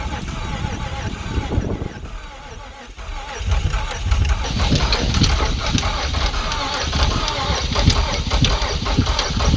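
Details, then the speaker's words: Junk Nissan Quest 3.5L V6 with suspected timing issues, deliberately run to destruction at redline, restarted after cooling: uneven stumbling idle with irregular low thumps; sounds down a cylinder or two, suspected. "I think it'll start back up because I mean it's not going to be happy. It sounds like we're down a cylinder or two now."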